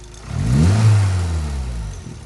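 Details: Suzuki Swift ZC31S with TM Square turbo: engine blips from idle and falls back smoothly with deep booming exhaust drone peaking mid-rev and visible exhaust shake; car running poorly, source not pinned down.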